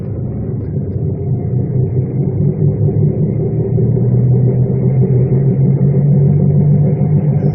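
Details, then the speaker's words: Deep steady droning rumble under road noise at about 35 mph in a 1999 Chevrolet Malibu; badly worn wheel bearings needing immediate fixing. "so dude was saying that was the worst bearings ever heard he couldn't believe it check these out this needs fixed immediately"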